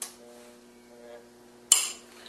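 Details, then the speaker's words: AC compressor from a New Holland swather in a vise, clutch powered by a 12 V battery charger with pressure applied: faint electrical hum, then a sharp metallic click as the clutch closes; normal engagement. "under normal conditions your compressor clutch should close we'll have to apply pressure to it and there you can see it closed up you can hear the click"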